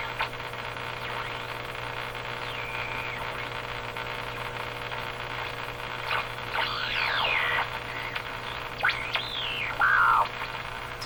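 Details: Eatons Universal Electrohome floorstanding tube radio after replacing the last two original wax capacitors: steady low buzz under static and whistling sweeps as the dial turns; mains hum, source not yet found.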